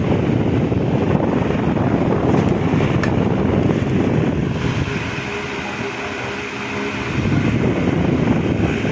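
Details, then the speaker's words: Repaired electric fan with new motor and banana-type blade replacing original: strong steady rush of air, faint even motor hum, no wobble, scraping or clicking; runs smoothly. "So napakaganda nung niya, yung buga ng hangin buong buo."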